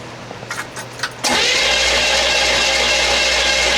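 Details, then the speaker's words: 1968 Buick LeSabre abandoned 35 years, screwdriver grounding coil wire, power confirmed at coil: a few clicks then steady even cranking that never fires; no spark, points suspected to need filing. "Negative. >> Nothing. >> Negative."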